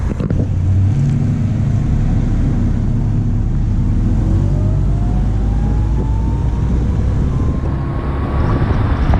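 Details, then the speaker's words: 1990 Honda Accord driving after muffler replacement: steady, low, even exhaust drone under road noise while pulling through the gears; much quieter, no leak. "As y'all can see, it sounds way better than what it did before, and a lot more quiet. It's just, oh my god, oh my god. It just sounds so much better, man, quiet."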